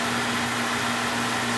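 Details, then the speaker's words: Beckett oil burner on a steel boiler after annual service, new tank filter and nozzle: steady even flame roar with constant hum, no pulsing or rumble; good oil flow and over-fire draft, running normally. "no filter red tank no nozzle good oil flow good draft over fire"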